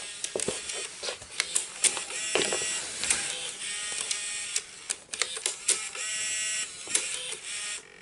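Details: Bose Wave II multi-disc CD changer with disc error: repeated small motor whirs and sharp plastic clicks as it cycles without settling; disc loading fails because a notch does not move back as it should.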